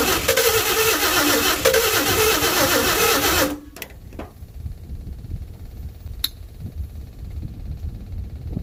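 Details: 1952 Chevy with new Autolite plugs, carburetor filter off, gas poured down the carburetor: about three seconds of steady, even starter churning that stops without catching. It cranks but won't start; the owner suspects low compression from seized rings and a weak fuel pump.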